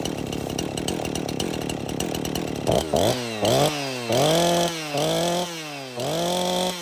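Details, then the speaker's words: Husqvarna 345 chainsaw with bar and chain off, brought in because it wouldn't keep running; it started and ran okay cold but got worse as it warmed, revving in uneven surging and sagging bursts; crankshaft seal air leak on the clutch side. "Sometimes a saw will start and run okay cold and as it gets warm the problems start to come out. Something's wrong here."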